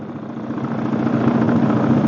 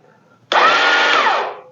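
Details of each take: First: Chinese Suzuki King Quad clone ATV after starter clutch replacement: starts and idles steadily with a low, firm even pulse, no knocks or rattles; running normally. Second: Chinese clone of a Suzuki King Quad ATV: about a second of high electric whirring as the starter motor spins freely while the engine never turns over or fires. This is typical of a bad, slipping starter clutch.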